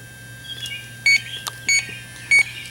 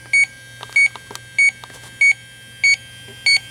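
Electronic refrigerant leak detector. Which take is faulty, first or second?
first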